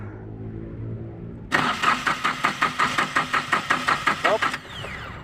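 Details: Yanmar 3TN diesel cranking only: starter churns with steady chugs about four a second, the engine never catches and cranking stops; crank, no start.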